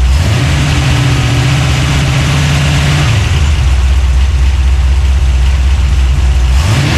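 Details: Freshly built 383 stroker small-block V8, just installed in a 1970 Monte Carlo and fired up for the first time: deep, even burble with crisp blips up and down and no knocks or misfires. It revs freely and normally.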